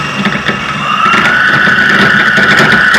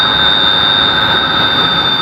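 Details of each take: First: Electric motor run on a deliberately wrong controller setting: a high whine climbs sharply and holds high, much faster acceleration than the previous controller gave; the motor overspeeds but is not hot, and the setting is then corrected. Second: 16-pole electric motor after controller parameters were corrected, running mode one: steady high whine at an even level with no roughness or surging; smoother rpm and better behaviour than before adjustment.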